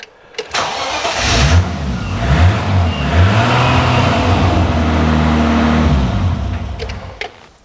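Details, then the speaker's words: BMW E30 325i with turbocharged M20B25 engine, start after setting ignition dwell to 1 millisecond: short crank, catches within a second, revs and settles to an even idle; quicker start, no extended cranking. "okay so that made a difference definitely that i don't have an extended crank it seems to definitely start off a lot a lot nicer a lot quicker with that one millisecond so that's good"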